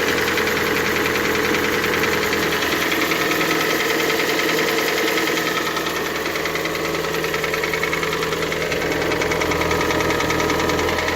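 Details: Hyundai G4NA engine, cold start: a sharp, regular knock about two and a half per second rides over the idle; cold-start engine knock, cause undetermined.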